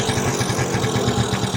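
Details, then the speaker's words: 1986 Yamaha Razz two-stroke scooter running after a carburetor fix: a faulty float valve had been overfilling the bowl and gushing gas, with ethanol suspected. Now quick, even pulses with no stumbling, no leaks, some smoke; runs cleanly. "so that float valve was the deal is overfilling the ball so yeah it runs like you know heck yeah"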